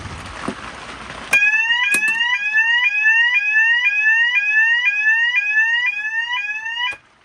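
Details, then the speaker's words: Custom fire alarm demo board, meant as an Edwards of Canada custom 6500, sounding after a call point activation: loud, even rising whoop sweeps about twice a second, unbroken; zones not yet wired, but the alarm works normally. "It's really loud. I know the zones aren't hooked up to anything yet, but it all works."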